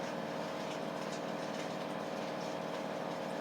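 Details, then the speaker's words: 11-year-old Samsung WF419AAW/XAA front-load washer after repair of tub wobble, spin banging and no-drain: steady even hum at high-speed spin, no banging or knocking. "so here it's going good high speed"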